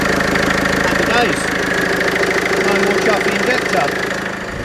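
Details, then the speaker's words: Mercedes Vito 2.1 CDI diesel at idle after all four injector seals (copper washers) were replaced to cure a leaking-seal chuffing; steady, even diesel clatter with no chuffing and no leaks, healthy running. "Oh yeah, definitely no chuffing. We're happy with that. No leaks."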